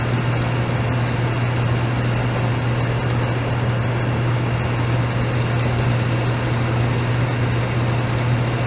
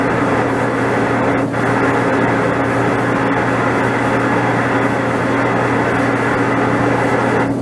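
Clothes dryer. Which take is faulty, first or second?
second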